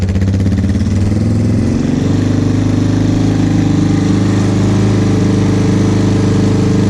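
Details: 2001 Yamaha Warrior 350 single-cylinder ATV, bought without being heard running, now revived after carburetor work, stator replacement restoring spark, and an oil refill: it catches and settles into a steady, even idle with no misfires or rattles. Normal idle.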